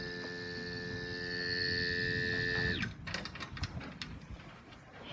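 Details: Q*bert arcade cabinet with a long-ago recapped monitor, no bad fuses: steady high-pitched buzz with a bright whistle near 2 kHz, then crackle. No picture though everything else lights up; it had been making gradually changing noises before, cause unclear.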